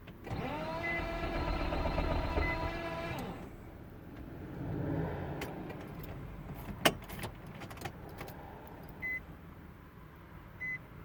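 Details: 2005 Nissan Maxima that won't start: a steady high whine rises and holds for about three seconds during the start attempt, then cuts out. The engine never catches.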